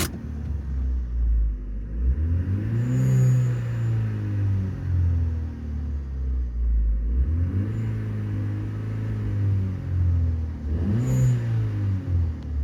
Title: Rattle/squeal/whine/noise on A14XER Corsa D 2012 petrol ... only under load/acceleration. for ref